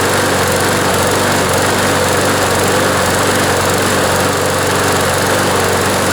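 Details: John Deere JS26 push mower, Briggs & Stratton engine, after the blade hit something hard; fuel system cleaned, cable replaced, blade reinstalled: steady, even high-speed drone with no misses or surging, though vibration remains and a bent shaft is suspected.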